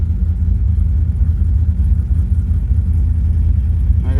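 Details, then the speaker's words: 2005 Chevrolet Silverado 6.0 LS with Madd Maxx 110LSA cam, longtubes and base tune, client reported missing after getting gas: lumpy, uneven idle stumbling two or three beats a second. Misfires on cylinders 1 and 8 with maxed fuel trims; suspected two failed coils. "got a lot of misfires on one and eight. And I'm maxing out the trims, which could just be two coils that failed."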